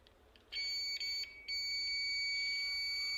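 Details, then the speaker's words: Magnetic contactor tested with digital multimeter in continuity mode on a normally open contact while plunger pressed: steady high beep, briefly dropping out twice then holding; NO contact closes cleanly. "यहां पर आपने देख लिया की हमें beep सुनाई दे रही है यानी जब ये अपना जनन जाए तो होगा तो इसके जो नॉर्मली ओपन कॉन्टैक्ट है वो क्लोस हो जाएंगे"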